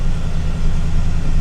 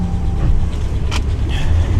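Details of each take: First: RAM 1500 pickup V8 with 57,000 miles, first start after purchase, suspected flood damage: deep, steady burble at idle with even pulse, no ticks or misses; exhaust sounds good. Normal idle. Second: Suspected flood-damaged RAM 1500 at auction, slight engine ticking, dash cutting in and out, boost pack supplying over 12 volts: deep, uneven lumpy rumble; rough running, owner suspects water intrusion into modules or dead battery, not confirmed.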